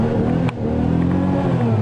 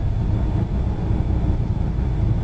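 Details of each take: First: 1993 Buick LeSabre, sat a while, weak battery charging, no rev limiter: deep even engine note climbs and settles cleanly when revved, heavy smoke from exhaust, no knocks or misses; normal free revving. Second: 1993 Buick LeSabre that sat a long time, revved to about 6,000 rpm with no limiter: steady deep rumble settling after hard revving, no knocking; heavy smoke, cause not yet known.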